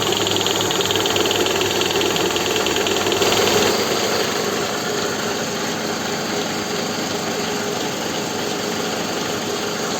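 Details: Toyota Estima after balance shaft restoration to cure a ticking knock near the lower front pulley, heard from underneath in Park: steady even idle with no knocking from the sump area; engine sounds healthy.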